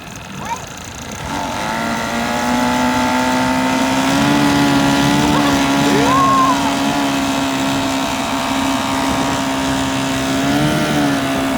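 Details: 1980 Chrysler Sea King 15 hp two-cylinder outboard, revived after long storage, on the boat with a strong even drone that climbs smoothly and holds under load. It had run on one cylinder until a condenser change, and now both fire cleanly.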